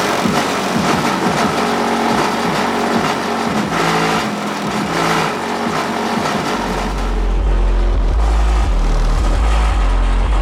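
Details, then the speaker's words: Ford Edge with 1500 W amp on subwoofer and 2000 W amp on door speakers, playing music before sound deadening: heavy bass thumps with buzzy rattle as rear hatch and cargo panels vibrate loose. "A lot of people have complained that it's way too loud. So that's where all my rattles come from."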